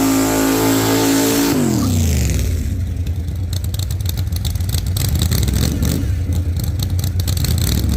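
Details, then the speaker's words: 1948 Chevy Fleetline small-block Chevy V8, 4-speed, open headers, test burnout after repair for pushrods breaking on first burnouts: revs high and holds, then drops to lumpy even idle, no ticking or clatter; sounds healthy, normal revving. "Think she's doing good. She's sounding pretty good over here. So, I think that sounds pretty good."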